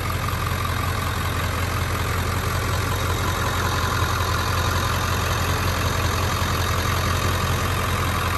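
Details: 2000 Ford F-350 Super Duty dually 4x4, 7.3 Powerstroke diesel, 71,316 miles, fully serviced: steady, even idle clatter with a smooth unchanging rhythm, no knocks or misses; healthy engine.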